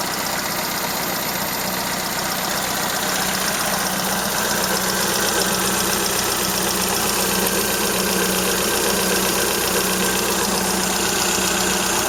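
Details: Toyota Corolla Ceros, 4A-FE engine, C50 manual gearbox, idling: fast, even light ticking about four per second over hiss; owner unsure if valve or gearbox shafts; slight exhaust corrugated-pipe leak also present.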